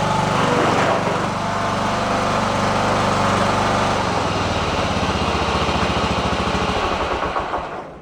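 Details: Riding lawn tractor said to shut off with a backfire after about 15 minutes at temperature, now run past 15 minutes warm. The small single-cylinder engine runs at an even, steady beat with no misses or pops, then coasts down smoothly when switched off. It runs normally.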